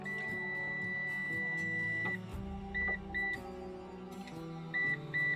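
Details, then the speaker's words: PowerShield PSCRT2000 line-interactive pure sinewave UPS after hot-swap battery pack replacement: short high beeps in pairs continue even after the DC battery connector is reconnected; the alarm stops once the UPS is restarted and the battery is detected and charging. "Jag kan återansluta denna DC-kontakt. Larmet piper fortfarande trots att detta är återanslutet."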